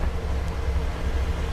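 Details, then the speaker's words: Brand-new Honda Vario 125 scooter at 0 km, not yet delivered to the buyer, listened to at the CVT. Steady low drone with an even belt-drive hum and no rattles or knocks; this is normal CVT noise. "ita dengerin suaranya nih kalau dari CVT nya ya segini normal teman-teman kita cek suara mesinnya juga nih"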